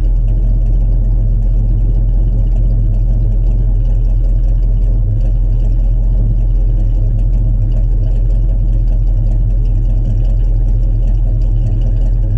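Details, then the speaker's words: 1967 Chevrolet C10 stepside pickup, fresh cold start not run that day: deep steady low rumble with even beat and no knocks or misses; normal cold start idle. "this is going to be a cold start we haven't started it today at all so this will be fresh cold start we'll hear what it sounds like and be right back"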